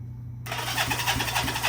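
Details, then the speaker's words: Honda CB360T twin being revived after many years: starter cranks with even, strong compression pulses about four a second; compression gauge about 100 on one side and 120 on the right, good. "obviously we got good compression look at that just under a hundred and it blew my hand off"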